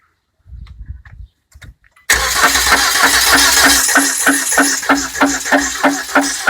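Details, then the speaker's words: SsangYong Actyon New petrol engine running: steady knock about three times a second, traced to the lower oil pump chain guide area; engine knocking noise. "sun йонг актион нью бензин непонятный стук в двигателе разоблачение смотрим на нижней успокоитель цепи масляного насоса"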